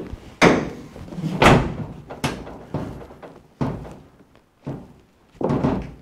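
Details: 2005 Chevrolet Silverado tailgate rocked by hand after new bumpers were fitted and a bent tab was straightened: hollow metal thunks with slight remaining play, one side tight and the other still a little loose.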